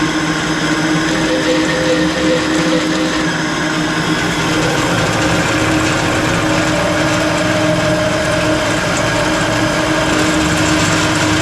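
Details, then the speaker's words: 20-inch three-phase Clausing drill press, before bearing replacement: steady whir with low hum and dry, rough rustle from the upper spindle mechanism; worn bearing, phase converter audible in background. "yeah I'm pretty sure the noise is coming from right there and if I go into high that's really noisy now"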